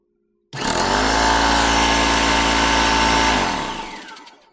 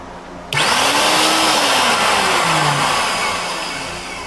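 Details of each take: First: Ridgid belt-drive air compressor after its broken belt was replaced, plugged in and run. Before the repair it only sounded like a fan running. The motor snaps on and the pump drones steadily, then spins down smoothly with no slap or squeal. Slight air leak remains; running normally. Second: Ridgid belt-drive air compressor running with a broken drive belt: the motor spins up to a loud fan-like whir with shifting tones and no pump thumping, only the small spindle turning, so nothing is compressing.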